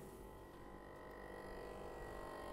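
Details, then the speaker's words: 1970s Plymouth Superbird at idle with ignition on: loud, steady electric drone with high whine drowning out the engine; vacuum pump for the vacuum-operated headlights runs constantly, as if chasing a massive leak. "can hear this pump is running and it's really, really loud. It's like a vacuum pump to operate the headlights, which are vacuum operated. Basically, this pump runs all the time. You can't really hear the engine idling over it."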